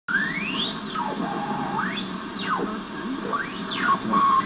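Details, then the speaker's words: Zenith 5-S-29 radio powered up after Candohm resistor replacement, new electrolytics and power cord: whistles sweep up and down in pitch over hiss, ending in a steady squeal; oscillation, birdies and squeals. "this oscillation that you're hearing these birdies and squeals"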